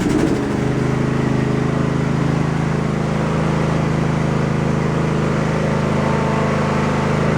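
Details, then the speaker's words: Husqvarna lawn tractor running for the first time after the shift rod was repaired: steady, even engine drone at constant speed with no knocking, squeal or grinding. Normal running. "Well, I'd say that's a success."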